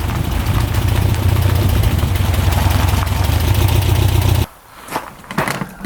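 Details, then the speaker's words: 1967 Volkswagen dune buggy, restarted after a first ride following a non-running purchase: steady, even low thrum at idle with no knocks or misses, then shut off; runs healthy. "see if she's still lighting good sounds really smooth doesn't it I'd say she's good to go"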